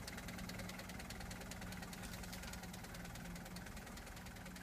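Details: 1976 Mercedes-Benz 240D (W115) diesel idling after being revived from long storage: steady, even diesel clatter with no misses or odd knocks, running healthily.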